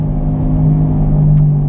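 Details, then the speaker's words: Car driving: loud, steady low growl without rhythm from the right front wheel, getting louder the faster it goes; bad wheel bearing. "a pretty significant growl now the faster we get going the worse it becomes"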